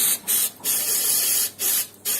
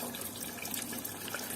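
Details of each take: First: Natural-gas combi boiler heating radiator being bled: a sharp, high hiss in uneven spurts as trapped air escapes the bleed valve, until water flows steadily. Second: Gas combi-boiler heating radiator being bled: water runs from the bleed valve in a steady even splash with no spitting or hissing air, meaning no air left.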